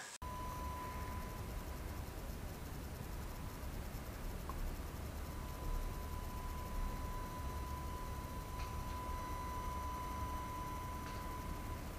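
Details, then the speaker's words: AFI VS-3SG 3-axis handheld gimbal recorded at night with no surrounding sound: faint constant high-pitched whine from the gimbal motors bleeding into the recording over soft hiss. "next thing we'll do is we'll see uh what that sound uh is like the sound this gimbal Mak so I'm just going to show you an other clip I shot at night so there was no surrounding sounds"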